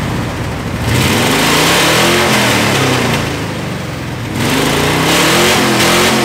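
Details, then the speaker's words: 2nd-gen Dodge Ram, old exhaust before the long-tube header install: a loud, raspy blat that swells with each rev and stays harsh at idle; cracked header with its collector pipes rotted open, leaking exhaust. "the whole collector in there is just open that's why I twice think kind of sounds like a NASCAR it just uh yeah a lot of holes"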